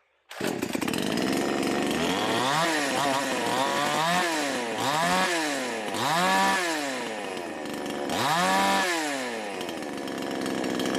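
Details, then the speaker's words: V Pro 5200 two-stroke chainsaw run after magnesium shavings were left in the crankcase, air filter back on, started on choke: fires at once, then clean crisp throttle blips rising and falling; runs normally before dyno test. "all right here we go if it fires up here and runs we'll put down the dyno see if it lost any power or if it keeps running under a load choke hey it fires"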